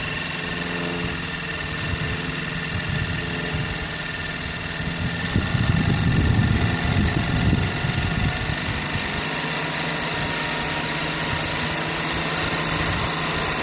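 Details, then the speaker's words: Sirius two-cylinder steam engine driving an alternator from a water-tube boiler, output 20 volts at about 3 amps into a battery and the field; steady chuffing about four per second under a constant hiss, unlabored and healthy. "That took it up to 20 volts and about 3 amps. The only power being drawn is what's going into this battery and the field itself."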